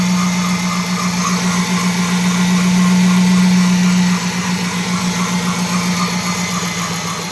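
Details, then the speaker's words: Dodge Charger R/T 5.7 Hemi after replacing shredded serpentine belt and bad tensioner pulley: steady idle with a pronounced constant hum from the belt drive; belt sounds funny, owner suspects it is too tight, not confirmed. "under the belt sound kind of funny"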